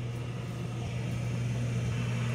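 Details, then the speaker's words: York Diamond 80 gas furnace on a no-heat call: thermostat switched to heat and set to 70, it clicks, and the inducer fan starts with a steady low hum that builds slightly. The start-up sequence is normal, with normal inducer and ignition. "Pull it to heat. Temperature's up to 70. Stat clicked. I hear an inducer."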